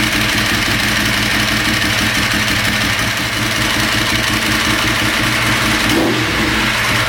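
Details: Ducati 916 fitted with a 1098 engine, RS-inspired build just finished, restarted to bring it up to temperature: loud, lumpy but even V-twin idle with a steady throaty beat, no knocks or rattles; running fine while warming.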